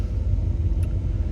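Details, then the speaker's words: Freshly finished OBS truck, with a new extra battery fitted, on the road. Deep, even engine rumble on the move, steady and low with no knocks, whine or clunks; owner says engine and transmission sound good. "I'm glad it's running. Everything's running perfectly. The engine's good right now. Transmission sounds good."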